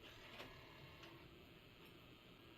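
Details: Nintendo Wii with faulty disc drive (replacement drive ordered): faint whir with irregular clicks every half to one second as a disc loads; failing optical drive noise.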